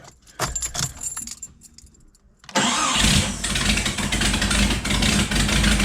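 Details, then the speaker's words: Remanufactured 4.0 engine in a Jeep Cherokee XJ, after install, cranks, catches and idles with a sharp, fast ticking puff on every firing pulse; bad exhaust leak at the manifold, bolts to be tightened further. "So that's still a pretty bad exhaust leak. So let me try to tighten those exhaust bolts up just a few more and see how that goes."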